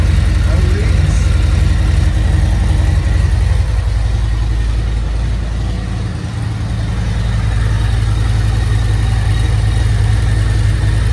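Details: Harley Road Glide V-twin just after oil change with 4 quarts: loping idle, steady low thump about 220 beats a minute, no knocks or rattles; runs normally.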